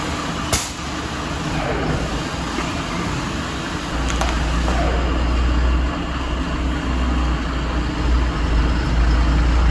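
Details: MAN TGM truck, D0836 LFL diesel, brought in smoking and misfiring; engine removed, rebuilt, and refitted with stand-tested injectors. After the rebuild it gives a deep, steady rumble with an even beat and no stumbling cylinders; healthy idle.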